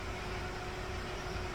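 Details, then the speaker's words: Suzuki Katana after fitting electric fan and thermostat, hot engine: quiet steady low idle with even hum, no misses or knocks; electric fan switches off as temperature drops; idling smoothly. "Nah ini bisa didengar ee electric fannya mati ya karena suhunya sudah turun nah dan ini suara 100 Kalau enggak 200 RPM tanpa as mobil tetap stasuner tetap hidup"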